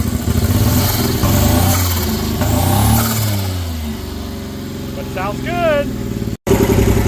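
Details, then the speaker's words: Honda Beat PP1 E07Z turbo swap, first run on new ECU: lumpy uneven idle, hunting with irregular pops; vacuum leaks on charge piping and a smoking vacuum line. "good we got vacuum leaks all over the place on this guy so it looks like someone on the charge piping we got a vacuum line back there that's smoking"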